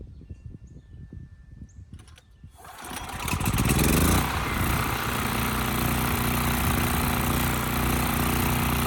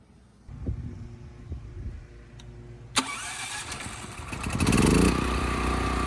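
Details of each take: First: Westinghouse 7,000-watt generator with rusted gas tank and gummed carburetor, possibly slightly flooded: pull-start rattle, catches, revs, then speed wavers; surges, had to be kept on choke, frequency read about 75–80 Hz. Carburetor suspected. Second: Westinghouse 7,000-watt electric-start generator, final test after carburetor cleaning and blocking off a fuel line bypassing the air filter: quiet, then starter catches and engine settles into even, steady run. Electric start works well; runs smooth.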